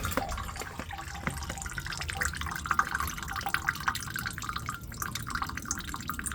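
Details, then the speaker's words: iStore 270L heat pump water heater, pressure relief valve opened for the six-monthly release: steady trickle and dripping of water. It flows freely, so the pressure relief is working properly. "And this should be free flowing. Then you know the pressure is working properly."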